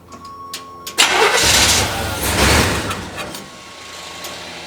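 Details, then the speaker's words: Old Chevy Suburban sat five years, fresh gas and new battery, fuel poured into carburetor: short crank, catches on first turn, runs rough then uneven idle; starts only when carburetor primed. "Damn, first turn and she started."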